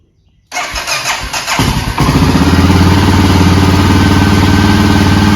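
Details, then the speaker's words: Honda XR650L bought as a non-runner, cold start first thing in the morning with two clicks of choke and no throttle: catches within a second, stumbles briefly, then settles into a steady even single-cylinder idle; healthy start. "two clicks on the choking y'all saw how fast it fired up"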